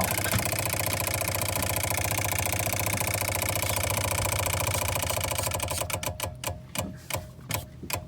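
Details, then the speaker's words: Boat diesel idling after the fuel line air leak was fixed and the system purged through the return line: steady, even clatter with no hunting or stumbling, ran over 20 minutes without a hiccup, then a clean wind-down at shutoff. "okay so it ran for over 20 minutes without a hiccup of any type i'm very happy about that"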